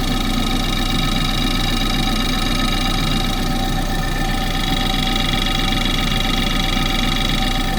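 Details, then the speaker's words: Engine at idle, pipe stethoscope on the fuel pump: steady hum with light, fast ticking about four times a second; normal-sounding fuel pump. "Right, so the fuel pump there, I'll have them on the other piece, so let's see what you can pick up for that."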